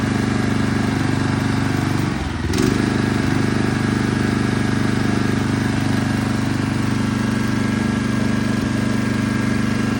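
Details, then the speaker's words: Toro Turfmaster mower after a carburetor replacement: brief dip as it catches, then an even, steady, smooth drone. The earlier no-start is confirmed fixed by the new carburetor. Normal running. "probably had to wait for some of the gas to circulate through it or something. I don't know."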